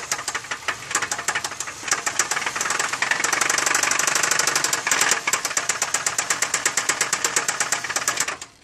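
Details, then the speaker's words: 2003 Chevy Malibu running before the engine is pulled for replacement: loud, sharp metallic knocks, about three a second, throughout. It is a severe internal engine knock, cause not yet known. "okay well as you guys guys can hear that's a pretty bad noise for inside the engine"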